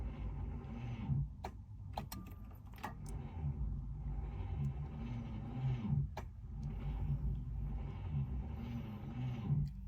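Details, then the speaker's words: Subaru Liberty wagon left sitting for years on a farm, cranked on one set of jump leads in 40-degree heat: quiet, labouring turnover with compression pulses about once a second and no catch; too little current to crank properly. "not happy all right I'm I try and throw a second set of jump leads on see if we can get some decent current flowing over and we will try and turn the key again"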